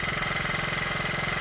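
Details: Honda Z50 small single, chain off awaiting sprocket, running down its fuel after first start: quick, even putter at steady idle with no misses or rattles; engine running smoothly.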